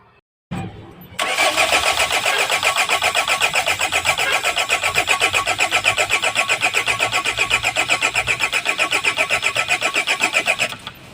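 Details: Hyundai with PSI engine, hard start and low power: steady rhythmic cranking at about four compressions a second for nearly ten seconds without firing.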